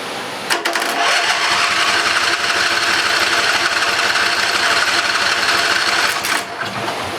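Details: Briggs and Stratton 20HP V-twin Model 40 after carburetor cleaning, first startup: quick steady buzzing beat settles into an even rhythm; engine running cleanly.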